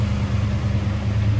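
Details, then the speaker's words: 1968 Ford Torino GT fastback V8, reported 41,000 miles, new water pump, plugs, wires, cap and rotor: steady, even low rumble at idle, no knocks, ticks or misses; smooth, healthy normal idle. "Smooth running. Wow."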